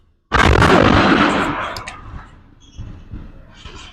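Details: Freight train with three engines and container and trailer cars leaving a rail yard; one sharp heavy bang ringing about a second, fading to a low rumble, after which the train stopped suddenly in a railroad crossing. Cause unknown: loud bang.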